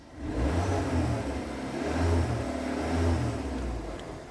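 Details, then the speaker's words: Skoda Octavia Mk2 revved after hitting a rock and denting the exhaust, checking for leaks: pulls up through revs and settles smoothly, even exhaust note, no puffing or ticking; normal, no leak. "Sounds okay so far. Let's try not to breathe that in. Hold your breath. Yep, I think that's absolutely fine."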